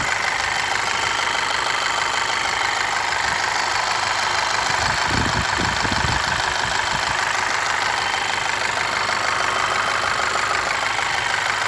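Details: VW Scirocco 2.0 TSI EA888 with new timing chain and modified tensioner: light fairly regular knock about three beats a second, still present, only at warm idle.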